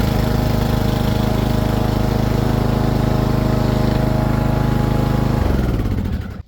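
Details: Husqvarna zero-turn riding mower: steady, even engine drone with a smooth low beat and no squeal or rattle before it shuts down; running normally.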